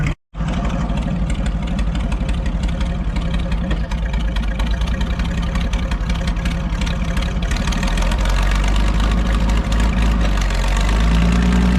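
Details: Farmall 560 tractor running after its carburetor was reinstalled, idle still being adjusted: the engine runs steady and strong with an even beat of around four pulses a second that holds smooth. It sounds good; normal running.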